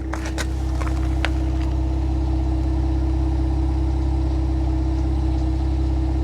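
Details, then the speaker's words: 2025 Ram 1500 Rebel twin-turbo inline-6 SST, 2,500 miles, at the exhaust after the engine cover was removed for a multiple random misfire: steady, smooth, even idle hum with no misses or vibration, no check engine light. "smooth as silk not a problem I don't hear anything abnormal I don't feel any vibrations"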